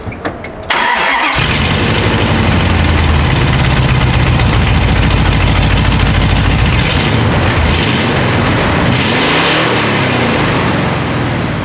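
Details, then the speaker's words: 2nd-gen Dodge Ram truck on old exhaust before long-tube header install: engine catches and revs with a raspy, blatting roar and ragged pulses; cracked header collector with pipes gone through, leaking exhaust. "the whole collector in there is just open that's why I twice think kind of sounds like a NASCAR it just uh yeah a lot of holes"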